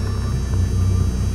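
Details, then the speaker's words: 1997 Dodge Ram 2500 5.9L Cummins diesel at idle, RPM gauge dead, generator and check-engine lights flashing, alternator not charging, stuck in second gear: heavy low rumble pulsing unevenly, runs rough, smokes a lot; crankshaft position sensor suspected. "It runs rough and kind of smokes a lot."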